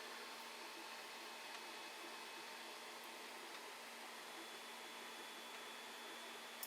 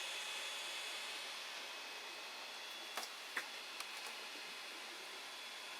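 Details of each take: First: Creality Ender 5 Plus Meanwell RSP-500-24 power supply with its noisy stock fan replaced by an 80mm fan, case holding about 49°C: very quiet, even hum and soft airflow hiss, no rattle or buzz; normal fan running. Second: Creality Ender 5 Plus 3D printer printing, with an 80 mm fan fitted to the Meanwell RSP-500-24 PSU: steady airy fan hiss with a faint high whistle.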